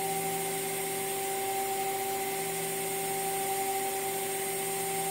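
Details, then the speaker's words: Water-cooled CNC spindle running at speed, recorded from just off the table edge, about 69 dB on meter: steady clean high whine, no wavering or grinding; normal running. "I'm quite sure the audio you'll be a you can hear my voice and I'm not speaking loudly."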